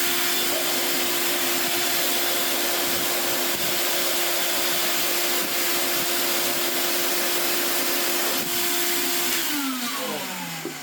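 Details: Well-used Hoover Portapower S1126 Mk1 vacuum from a car boot sale, hose not cleaned first so it blew dust: steady, even high-pitched motor whine with a constant airy rush, pitch sliding down at switch-off; healthy, normal running.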